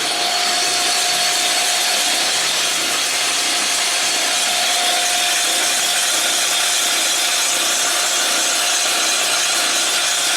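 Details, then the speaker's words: Boring an old John Deere two-cylinder block: steady high-pitched cutting hiss, slightly uneven, as the boring bar hits harder on one side of the bore in the larger-diameter low-compression top section; interrupted cut. "which is doing on this one. It sounds like it's hitting a little bit on one side more than the other."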